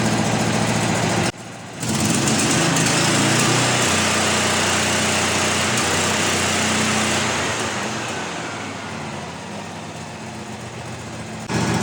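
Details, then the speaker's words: About 30-year-old Miller Bobcat 250NT or 225NT portable generator welder with V-twin engine, oil last changed around 2016 but clean: smooth steady idle with an even gentle lope, no knocks, misses or leaks; normal idle. "That V-twin has got that nice little lope to it. $500 well spent."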